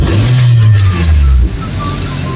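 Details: Hyundai Tucson 2012 2.4L gasoline after ECU repair (was crank-no-start, no ECU communication, limp mode): deep steady engine rumble easing down and settling evenly, no knocks or misfires; runs smoothly and healthy.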